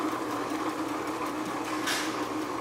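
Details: Advent 200 plain paper labeler labeling small-diameter plastic bottles gives a steady, even mechanical hum with a light whir. There are no knocks or grinding, so the labeler is running normally.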